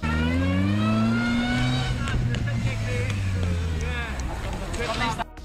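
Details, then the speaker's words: Car backing up: a clear whistling whine climbs in pitch with speed, then fades. The reverse gear is unsynchronized and uses straight-cut teeth, giving the characteristic whistle. Normal reverse gear whine. "a marcha ré dos carros pelo seu tempo de engate e por não ser sincronizada usa engrenagens de dentes retos por isso temos o assobio característico"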